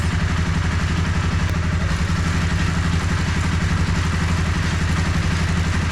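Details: 2013 Honda CBR250R single-cylinder motorcycle bought cheaply at auction, on a paddock stand after clutch cable free-play adjustment: even, rapid low putter at steady idle, no knocks or misses; healthy idle.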